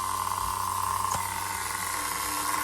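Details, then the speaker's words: Rebuilt Duratrax Overdrive ST nitro engine (Velocity .17, cut crankshaft, different piston and sleeve, Tamiya carburetor) idling fast and even with steady buzzing pitch, no stumbles or surging; clean normal idle. "Listen to that idle. Never even heard most people's regular nitros, brand new, never even idled that good."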